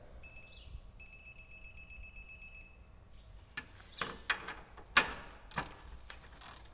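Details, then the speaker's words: Torque wrench tightening parts; spec is 9-10 lb, wrench maxes at 12.5. A rapid run of short high beeps signals target torque has been reached. "Hear it beep there, that means we're up to torque."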